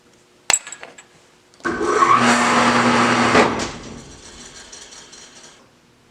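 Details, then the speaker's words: Lathe switched on briefly then shut off, making a noise it has never made before after trouble-free service; harsh, rough growl for about two seconds fading as it spins down; owner believes motor issues, not confirmed. "Alright, so I just quickly turned the lathe right back off. It is making a noise that it's never made before."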